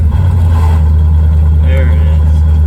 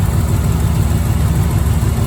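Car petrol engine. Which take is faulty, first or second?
first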